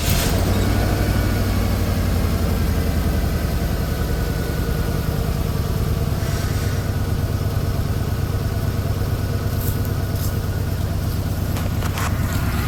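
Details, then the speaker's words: Truck engine running a little rough at idle, missing and jumpy after being driven yesterday; low, lumpy idle with irregular stumble. Owner suspects it needs new spark plugs; ECM recently accessed; misfire, rough idle, cause unconfirmed. "It feels like it's missing a little bit. kind of started getting jumpy after riding in it around a little bit yesterday. So, it's Oh, yeah. Oh, yeah. So, it's running a little bit rough. I think it probably needs new plugs."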